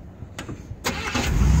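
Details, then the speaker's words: Chopped 1950 Ford coupe after a tune-up, timing about 0–2° ATDC, side exhaust with glass packs: brief crank, catches almost at once, steady even idle at about 750 rpm. Normal quick start. "right up it's idling at about 750 now and it even does burnouts guys"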